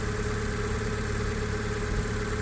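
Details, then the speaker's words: 2015 (65 plate) Fiat 500 petrol, Cat S auction car listed as "engine noisy": steady, even idle, smooth low hum, no knocks or stumbles; owner says it doesn't sound noisy, healthy at tickover. "again doesn't sound noisy that's not broken that's weird I would not say that was engine"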